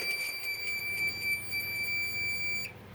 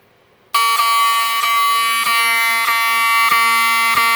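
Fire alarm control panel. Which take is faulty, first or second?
first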